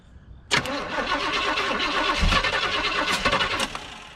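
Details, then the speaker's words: 1972 Chevy C10 crate 350 V8 that had sat for 8+ years, with plug wires arcing. Steady cranking at about four turns a second that never catches; cranks but no start, the fuel pump is not working. "fuel pump ain't working"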